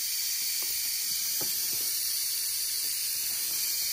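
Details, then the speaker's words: BMW N20 2.0T engine under a boost leak test with an adapter: a steady, sharp hiss of escaping air at the charge pipe where it joins the intercooler; boost leak, suspected O-rings or a cracked pipe. "all right this is a bad leak you hear it"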